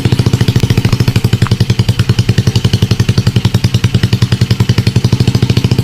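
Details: Motorcycle with Smash carb converted to piston-type carburetor and NLK open pipe: low, steady idle with an even, rapid open-pipe popping beat, running fine.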